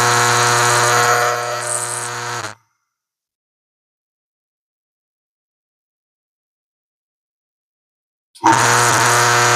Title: loud fan noises